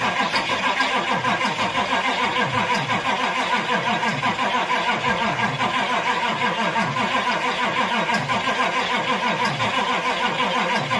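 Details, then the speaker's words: Old C20 crew cab diesel being revived, starting fluid sprayed in: sluggish cranking of about three turns a second with no catch; cranking too slow, needs more electrical supply. "it's still cranking really slow I think that means we need more electricity obviously"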